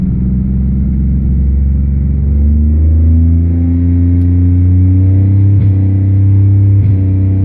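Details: 1999 Pontiac Bonneville 3800 at 215k miles with strange codes and a plugged cat, still not right: steady low engine drone with an uneven, lumpy beat and stumbles as revs change, a misfire of unconfirmed cause.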